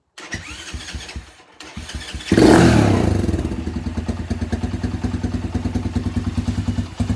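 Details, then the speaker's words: Venom X20 125cc after carburetor replacement with filter fitted, starting first try; a few cranking thumps then catches cleanly, intake audible, steady even single-cylinder putter idling perfectly; normal start and idle. "You can hear the intake. Look. Look, and it's idling beautiful. Look at that, idling perfectly fine."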